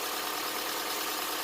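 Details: 2007 Honda Accord, just started after timing chain replacement (Melling kit) and valve adjustment, before warm-up and oil change: steady, even hiss-like idle with no knocking or ticking, no check engine light; normal idle.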